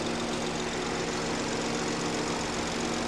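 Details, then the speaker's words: Salvage-auction BMW 218 convertible: steady, even petrol idle with the cooling fan whirring, no knocks or ticks, sounds healthy. An oil leak is suspected, possibly at the rocker cover, but nothing is dripping. "It certainly sounds all right. I'm getting excited now."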